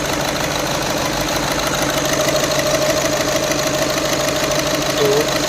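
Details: VW Vento petrol engine idling with check engine and glow/heater light on: uneven rapid knock and slight stumble (missing); fault traced to a faulty fuel injector, fixed by replacing the injector.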